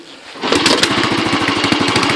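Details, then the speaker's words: Royal Enfield Bullet 500 Classic, back on the road after 1.5 years off, kickstarted with the piston set at top dead centre: after a short quiet it catches on one kick and settles straight into an even, steady thumping idle, a healthy start. "there we go. So now the baby's running. You probably can't see just how much she shakes."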